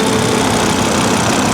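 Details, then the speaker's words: 2004 or 2005 AWD Volvo XC70 salvage auction purchase, first start: smooth, even, quiet idle with a low steady hum and no knocks or misses; runs perfect. "it runs perfect look at that engine and it's quiet so quiet"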